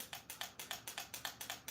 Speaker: That means that little guide pin, this little solenoid is striking that down and that little guide pin is dropping down.